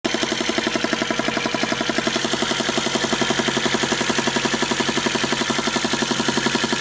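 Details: VAZ engine at cold idle: a fast, sharp, very regular metallic knock that disappears once the engine warms to about 50°; cause unknown.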